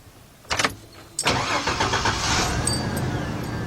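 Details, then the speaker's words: Ford E150 Econoline van, 4.9 engine, 242,000 miles, sat 10 years, just fitted with a new starter: two short cranking bursts, then it catches and settles into a steady even idle with no grinding; normal crank and start. "Oh, man, that sounded good. Oh, that sounded real good."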